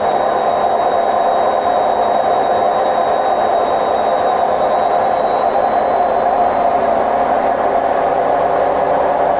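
A loud, steady roar with a faint high whine runs through the whole spin, the typical sound of worn drum bearings.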